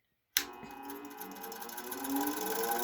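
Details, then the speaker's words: New Bauer 6-inch bench grinder (2.1 amp, 1-1/3 hp) on first start-up: steady motor hum with a light, fast tick about four per second from a stray wire-brush strand hitting the shield, expected to break off. The grinder itself runs smooth and quiet. "you can hear that ticking over there [Applause] that would be a little piece of wat of the wire brush hitting the shielding"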